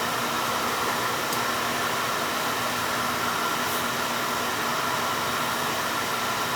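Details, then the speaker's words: Beckett oil burner that had been tripping its safety control and would not fire, after being serviced: steady whooshing roar with a faint constant hum, no sputter or surging; firing smoothly, normal running. "yeah definitely running smooth because I can hear it"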